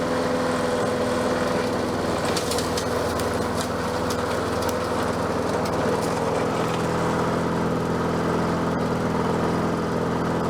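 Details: Bolens 22-inch self-propelled mower, one of four bought cheap, running after being brought back to life: small single-cylinder engine holds an even, steady beat at constant speed with no misses or knocks; self-propel works, sounds good, normal running.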